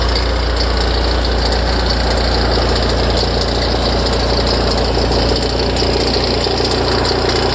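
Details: Ferrari F355 at cold idle: a busy, fast chattering rattle over the low rumble from the front of the engine, tens of seconds after start-up; idle steadies once it stops. Louder and longer after long disuse; cause unknown.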